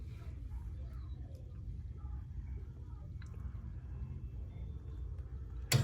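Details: Burnham gas-fired steam boiler, pilot flame blown out on hot thermocouple: low steady room hum, then one sharp click as the pilot safety magnet valve drops out after flame loss; normal.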